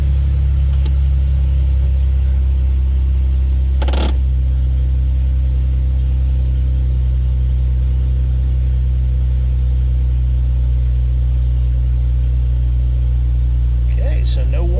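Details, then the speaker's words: 2011 Jeep Wrangler JK, almost 130,000 miles, idling right after an oil change: low even rumble steady for fifteen seconds, no knocks, ticks or misses; oil pressure good, no low-oil-pressure warning; normal idle. "lights telling me you have low oil pressure so that all looks good"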